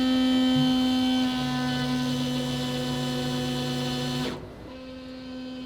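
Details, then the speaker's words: Fuel pump priming on an AWD four-rotor Pikes Peak race car: an even, mid-pitched electric hum holds about four seconds, then cuts off cleanly while building base pressure to about 25 psi. Normal priming. "it is time to Prime the system and hear the fuel pump [Music] sing"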